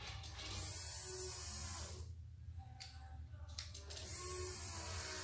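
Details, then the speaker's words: Boosted crosskart custom fuel system, key on: buzzing hum with hissy bursts either side as the electric fuel pump primes, building pressure with a good return stream into the tank; a leak found afterward. "oh yeah i hear it yeah there he goes let's see go ahead pick this up you can watch it come back kind of shoot into the tank"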